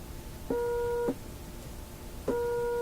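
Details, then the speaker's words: Philips Sonate BA581A vacuum tube radio, unpowered for a long time, audio tone test across a physically big capacitor: two clean, steady mid-pitched tone bursts at full strength, same as a short. The capacitor passes the test (normal). "Exactly the same as a short. Okay, so here's a physically big capacitor back here. Sounds just like a short."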